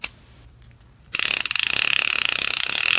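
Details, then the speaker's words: Daiwa Lexa CC 300PWRL-P casting reel clicker: loud, crisp, fast even ratcheting click about three or four a second, working as it should, loud enough to wake you. "well as it should be this will wake you up if you're napping on the boat"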